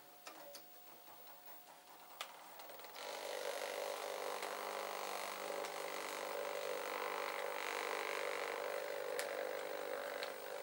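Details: Old recorder after cleaning, with its toothed wheels moved over, speed adjusted up from too slow: steady light whir with even ticking about four a second. Drive running smoothly.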